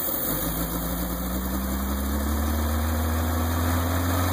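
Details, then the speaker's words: Petrol engine started with a vacuum line port deliberately left open, creating a large vacuum leak: it idles fast and keeps climbing, a high idle from the vacuum leak. "so I'm going to start this it should idle really high this vacuum line which goes around here and goes back to here I'm just plugging this port right now this should cause this thing to go to a high idle immediately upon start"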